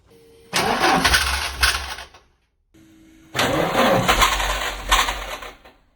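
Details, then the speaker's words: Mk3 Ford Escort RS1600i that developed the noise on a drive home: two short cranking bursts, each catching into a harsh, rough bell-housing clatter for about two seconds. Flywheel, clutch or a gearbox without oil is suspected, and the cause is unconfirmed. "Basically, pulled up at a set of traffic lights, and that area in the bell housing is just making a horrendous noise."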